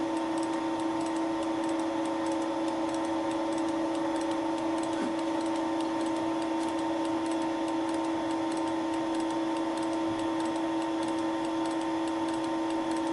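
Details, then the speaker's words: Facing the plastic lawn mower bearing-seat housing with Wohlhaupter UPA5 head on Thiel Duplex 158 mill, cutter advancing radially a few tenths of a millimetre per rotation; steady machining hum with light ticking from the radial feed mechanism. Normal feed clicking. "the facing and boring head was set up for facing so that the cutter advanced radially by a few tenths of a millimeter with each rotation"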